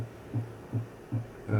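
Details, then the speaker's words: Hi-fi amplifier at about 200 W into 8 ohms with a very low test frequency: a low hum throbbing in even pulses about every 0.4 s, as capacitor-charge sawtooth ripple at the collector is repeated at the emitter because the output transistor is saturated. "Mas isso é o que tá chegando no coletor do transistor, né? E o emissor nesse nesse momento só tem uma coisa a fazer, né? Repetir o sinal do coletor, porque o transistor já tá saturado, tá?"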